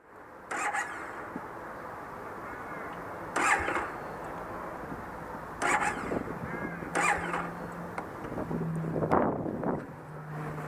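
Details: Motorcycle with a starting problem present since day one: several short cranking bursts die out before the engine finally catches and settles into a low idle. Hard starting; won't fire on the first try, cause unknown.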